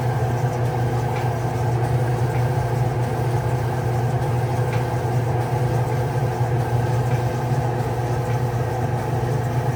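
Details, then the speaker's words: Flood-damaged Kenmore dryer that was not heating: drive motor won't start on its own, starts after hand push and hums steadily; failing motor, especially under load, needs replacement. "All right, so that's a failing motor because you were able to push and it starts. So especially when it's loaded, it's not going to start."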